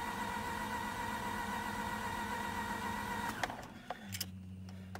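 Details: Mazda RX-8 rotary, 127,000 miles, sat four days in freezing weather, won't start, SSV solenoid disconnected and battery jumped: brisk, even whirring crank for a few seconds with no firing, then it stops and a motor hums; low compression possible but unconfirmed.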